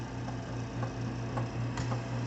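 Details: Walnut Medical home fill oxygen system with the filling light on, filling an oxygen tank: a steady low hum with light, fairly regular ticking. The compressor is filling normally.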